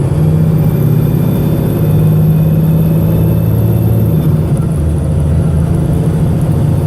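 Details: VDL SB200 bus, Arriva 3008 MX59AAY, recorded December 2017, under full throttle: deep labouring diesel drone with rough, uneven beat from a misfiring engine, sounding unhealthy.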